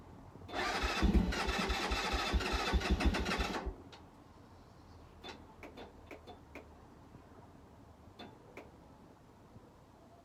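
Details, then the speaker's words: Keeway 125cc with Suzuki GN/GS engine, unstarted 18 months; three seconds of fast electric-start cranking, never catches, then small clicks; later fired with choke fully on. "not been started for 18 months so maybe the carb was dry at this point I'm not too sure"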